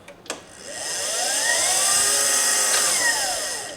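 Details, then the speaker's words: 2018 Permobil F5 wheelchair motor, noisiest side, before cleaning: high whine rising on spin-up, steady, falling on run-down; rough brushes or commutator suspected, not confirmed. "And I mean, realistically, as far as brush DC motors go, that's not bad."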